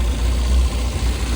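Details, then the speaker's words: Mini 7 S on a dyno, new freshly jetted carb, started on ether, ignition suspected over-advanced, still warming up: steady deep drone held fast without throttle; high idle around 1,800 to 2,000 rpm. "It's idling quite high, about 2,000, but I guess that's expected."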